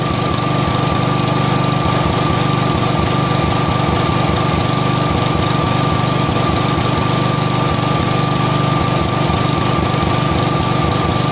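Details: John Deere mower engine running rough at high throttle with an uneven, lumpy beat; new plug and cleaned carb didn't help; cause was the air cleaner foam having been oiled, restricting air.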